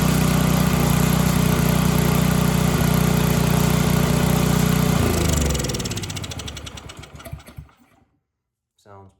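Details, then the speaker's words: Snowblower that wouldn't start, now primed and on choke after diagnosis: the small single runs at a steady, even patter, then winds down smoothly, showing healthy running. "pretty good. I'd say that's all right."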